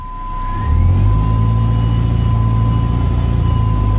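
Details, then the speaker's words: Dodge Neon automatic after transmission repair: engine climbs from idle into a steady pull, shifting through third and fourth/overdrive and downshifting smoothly with no flare, slip or clunk; no leaks; smooth idle at about 800 rpm. "third there was forth overdrive and it shifts down really good no problems whatsoever"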